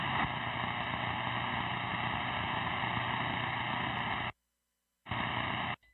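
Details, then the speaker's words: Steady, harsh electronic buzz holding one pitch, cutting out briefly then returning; an unknown alarm in a vintage tube-type CB radio station setup, seemingly not affecting transmission. "Something's buzzing. Hold on, there's something buzzing."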